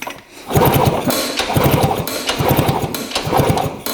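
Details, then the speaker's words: 1960s Ducati Brio 100 scooter, sitting over 30 years: repeated kick-over strokes about once a second with mechanical clatter but no firing. There is no spark despite a solid ground, and the owner suspects the coil or coil wire. "now we're getting a solid ground and we're still gonna have no spark"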